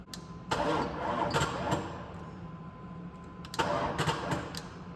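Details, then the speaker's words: Chevy 6.5L diesel after replacing a bent pushrod, battery only briefly charged: two short sluggish uneven cranking bursts that never catch; turns too slowly to fire, low charge or a poor ground suspected. "it's like a no-go on that one I got a ground off over here too see if that'll help maybe maybe it had enough juice it just didn't have a good ground"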